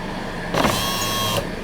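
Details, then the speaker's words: Dodge Avenger power window motor (a low-profile unit) running the glass down: a steady, even whine for about a second with no grinding or stalling. The window sticks going up; the owner suspects dirty or shorted contacts, not the motor. "the problem isn't the motor I have gonna hit that this motor sounds like it runs fine when it goes down you can hear it"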